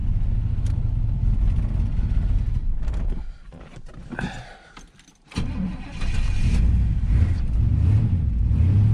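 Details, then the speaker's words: 1984 Camaro Z28, L69 HO 305 carbureted V8, cold with little choke: runs rough, falters and nearly dies before catching and revving back up; won't hold idle cold, raising idle helped. "So now this car will not hold an idle. So try to raise the idle. See what happens."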